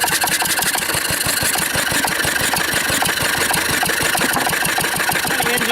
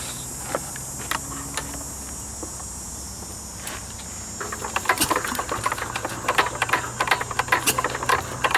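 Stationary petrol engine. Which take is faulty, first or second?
second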